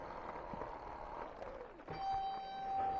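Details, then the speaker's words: Light electric dirt bike with brakes of poor feel: quiet rolling, then a steady high squeal holds as the brake is applied; brake squeal. "yeah you can hear that squeak That's The Brak boy"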